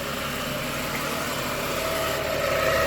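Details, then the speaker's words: Ford BA/BF Falcon Barra engine idling before replacement of the ribbed idler and tensioner pulleys; a thin whine and faint rough whirr ride on top, rising toward the end, from worn idler pulley bearings. "What I'll do first is let you have a listen to them. They're not in the greatest shape."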